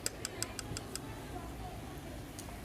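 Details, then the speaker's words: Universal voltage stabilizer: sharp relay clicks about five per second for a second, then quiet hum; relay chatter caused by a loose solder joint on one relay pin. "पहले इसके relay-relay का एक point में losing है जिसकी वजह से यह रिलैक्स की आवाज कर रही है"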